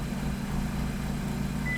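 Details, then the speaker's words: Suzuki Swift GT petrol engine at steady, even idle while its idle fuel cells are being tuned richer on an Ostrich emulator; a short high electronic beep near the end is the emulator acknowledging the map change. "then well you can hear it making little beep noises to to acknowledge that I've tuned it"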